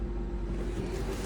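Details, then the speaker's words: 2008 Honda CR-V at idle after replacing the alternator, belt and PCV valve; smooth, even low idle with no knocks, ticks or squeal, no battery light so it is charging properly; normal idle. "it's running good like I said the belt go right in place sounds"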